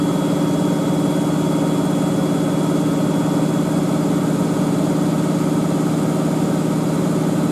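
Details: Miele W562 Prestige Plus 6 washer, large towel load on Cottons 95°C with Water Plus, Tide HE detergent, final spin: steady even whir at constant pitch, no thumping or scraping; clean, balanced high-speed spin, towels come out almost dry.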